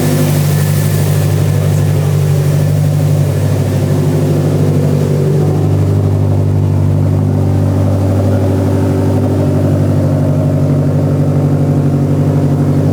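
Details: Built Subaru STI first start after about five months, freshly rewired with ethanol sensor and hybrid speed density, not yet tuned: deep, smooth, even rumble with light throttle blips and no ticking or knocking; starts and idles healthy.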